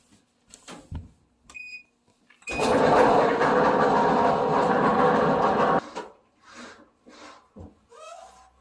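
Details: Whirlpool Cabrio dryer running empty with one drum roller gone; loud harsh steady grinding roar, metal chunks and belt debris found inside, caught in time with no damage to the drum.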